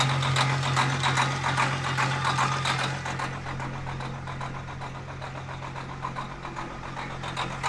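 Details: Farm diesel truck cold start with the block heater working, in a Montana winter: the big diesel catches quickly and settles into a steady, even clatter with a firm low hum; starts and idles healthy.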